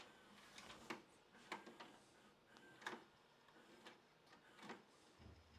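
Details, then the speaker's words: Used VCR tested with a tape: soft clicks and clunks as the deck threads the tape, then a quiet motor whir. Loading and playback are normal and the unit works. "Whoa. There's George again. That's pretty awesome. That one works."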